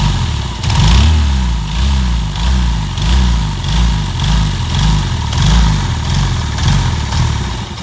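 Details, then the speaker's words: Yamaha Jupiter Z1 (Vega Force) motorcycle with a ticking engine noise that will not hold idle: surges about twice a second, rough and near stalling; oil seen not reaching the cylinder head, suspected clogged oil filter/pump path. "motor nggak bisa langsam nah ini permasalahannya apa saya tidak tahu"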